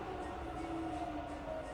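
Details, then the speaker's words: Fully rebuilt Bridgeport milling machine, spindle in reverse in high range slowing from about 1100 through 700 to 500 RPM: smooth even whir with soft steady hum, no knocks or grinding; normal, super smooth running. "700. Back down to 500. Running super smooth."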